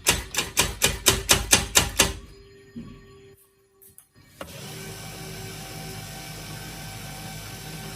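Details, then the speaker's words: HP LaserJet P1102w after repair of a paper-pickup fault: about eight quick, even clacks as the page is picked up, then a quiet steady whir; the earlier abnormal noise is gone and the printer feeds and prints normally. "तो देखिए दोस्तों जैसे की आप देख सकते हैं यहां पर pinteout होना स्टार्ट हो गया और यहां पर देखिए बढ़िया प्रिंट आउट भी यहां पे ए रहा है"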